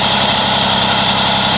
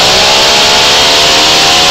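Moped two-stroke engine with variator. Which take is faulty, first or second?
second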